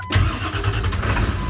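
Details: 1999 Ford F-350 Super Duty with the clutch safety/start switch bypassed by jumping its two wires: short crank, then the engine catches straight away and settles into steady idle; normal start, confirming a bad clutch switch.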